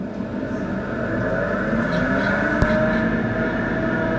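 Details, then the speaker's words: Steady, constant annoying whine over an even running hum from a home bar beer chiller, possibly its pump, heard with the bar switched on; whine. "you hear that whine I bet you can hardly hear me the chiller let me get you down here guys and that is one hell of an annoying wine"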